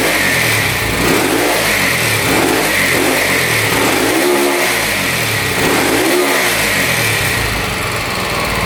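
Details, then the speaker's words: Harley Sprint 350 single-cylinder motorcycle from the 1970s with dual pipes, first run in about 18 years after police seizure and auction; hard to start, possibly from a plugged exhaust. Crisp bark rises and falls cleanly through several throttle blips, no knocks or rattles; normal running and revving. "the Dual pipes are sweet sounds really cool I've never heard of 350 before and that sounds awesome"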